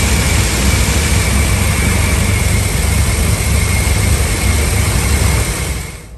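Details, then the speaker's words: Ford F-350 5.4, cold start, no check engine light: idle wavers and sags as if about to stall, then catches; a broken air breather piece had fallen off, the suspected cause. "like it tries to cut out but it catches back idle"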